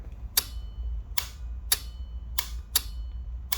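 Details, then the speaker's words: 1983 Suzuki GS1100E during ignition timing work, ignition on: crisp dry relay clicks about every two-thirds of a second over a low hum; the relay switches in cleanly. "Give her a crank for you guys. You can hear my relay switch coming on."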